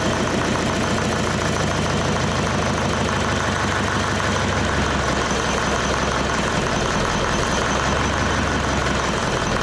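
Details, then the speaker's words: Leyland 154 tractor diesel, cold, restarted during restoration with diesel leaking from the injection pump: knocking idle whose beat sags and wanders, won't hold idle; owner suspects pump leak, not confirmed. "Okay. It won't idle. Um, off the top of my head, I'm not sure what the idle should be on these."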